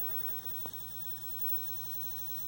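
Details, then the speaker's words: 1963 Montgomery Ward Airline Imperial console TV (WG-5974A) under service: steady faint fizzing corona hiss from the high-voltage section over low mains hum, one small crackle. "hear the corona hissing away there"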